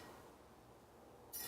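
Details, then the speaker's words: Bicycle wheel spinning quietly, then a hissy plastic scrape as an out-of-true rim section rubs a zip tie gauge, after replacing a broken spoke nipple; spoke on the opposite side needs tightening. "hear where it's rubbin starts right about there and you can hear it stop making noise right about there so that is almost dead center"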